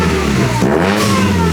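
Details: Supercharged Mazda Miata, hard rev: stumbles and drops out briefly near the top, then picks up again, fuel starvation as injectors max out; high-rpm cut-out that does not happen with the belt off.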